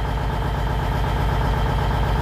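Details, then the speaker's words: 379 (around 1999–2000) with Cummins N14 Celect Plus, fresh in-frame, no codes: idles smooth, but raising rpm to around 1000 brings a steady heavy thump with misses and hunting rpm; bad injectors suspected. "you do the RPM and one soon as you hit like 10 right there you can see it start missing and the RPM is kind of up and down up and down a little bit"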